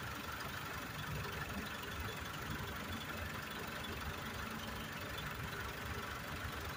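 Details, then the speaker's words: Blue PT Cruiser, warm idle; radiator fan kicks on after about a minute of idling amid heat-needle concern: quiet, steady idle with even low rumble, no knock or rattle; normal. "Remember, it's idling. It's about ready to kick on again. Right. Just kicked on. There, kicked on. So it idled about a minute."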